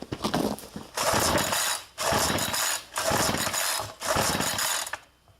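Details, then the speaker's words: Push mower cold start attempt: four rattling starter-cord pulls about a second apart with no firing between them; engine won't catch, hard cold starting. "all right servers count how many times I had to do that huh oh she's still down"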